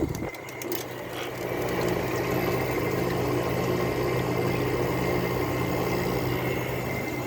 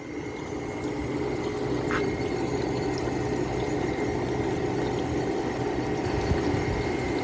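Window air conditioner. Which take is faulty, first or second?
first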